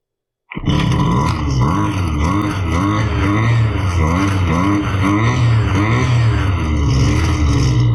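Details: Husqvarna 329L string trimmer after repair for bogging and not staying running (not the carb): two-stroke buzz picks up cleanly and holds strong and steady with no bogging or stumble; runs properly now.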